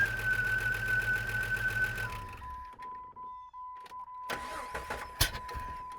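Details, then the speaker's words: 2004 Jeep Grand Cherokee, first real running, oil not yet changed, possibly needing a muffler: a light, quick tick over the idle from the top end, described as ticking rather than knocking; cause unknown. "Why is it knocking? What's making noise up here? Huh. It's not really knocking, it's ticking. What is that?"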